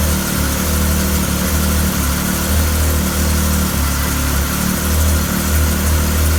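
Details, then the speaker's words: Arctic Cat 7000 snowmobile, Yamaha 1049cc triple, about 12,000 miles, after valve adjustment, cold start; previously stalled after 5-6 seconds: steady even idle at 1500 rpm with smooth drone, no misses or surging; normal idle, motor sounds different. "Good sign so far. It would have stalled by now. It's idling at 1500 RPM, right where it should be."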